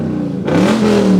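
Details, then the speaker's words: 2017 Lexus GSF V8 with Meisterschaft exhaust, after repairing customer's noise complaint: deep burble at idle then clean rev with no leaks, buzz, hiss or rattle. "So the Meisterschaft system sounding back to a $4,000 kit, and no leaks, no buzzing, no hissing, none of that."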